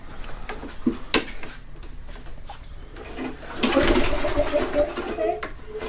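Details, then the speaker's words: Toro Recycler walk-behind mower engine running with irregular hard knocking, about four a second, from the blade adapter hitting on a loose spacer between the blade adapter and the crankshaft. "that's something hitting that's definitely not good wait to see what's going on here i didn't really show this part because it's just a spacer but there's a spacer in between the blade adapter in the inside of it and the crank"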